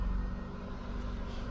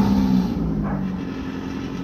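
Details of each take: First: 1995 Ford Escort wagon after near-complete exhaust replacement with new muffler, cold start idle: low, even rumble, soft exhaust note, no rasping or leak puffs, cat rattle gone; valve train noise audible on cold start, louder outside. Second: 1995 Ford Escort wagon, old exhaust before replacement: loud, raw, unmuffled drone with rough low rumble and blatty pulses; only the engine-mounted cat muffles it, a six-to-eight-inch hole between cat pipe and rest of exhaust.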